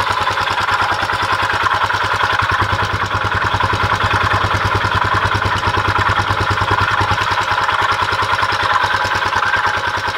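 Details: Honda XL250S single-cylinder motorcycle engine runs with steady pulse and rough grinding edge on each beat; the pulsating grinding noise increases when accelerating.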